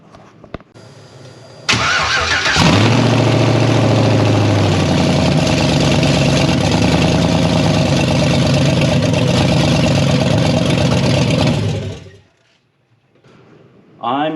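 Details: 2nd-gen 4Runner with a swapped Chevy LS V8 on a standalone harness, big cam, no belt on: it fires, idles unevenly with a lumpy stumbling beat for about ten seconds, then dies because fuel pressure is too low.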